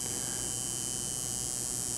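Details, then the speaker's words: Soft, steady electric buzz with an even high hum and no metallic rattle from a coil tattoo machine running dry with the power supply voltage turned down; turn it up until no fine metal pinging or rattle. "want to set it generally you want to turn it up slowly and tell you hear it starts a rattle or vibrate like that that real fine metal pinging that's too low"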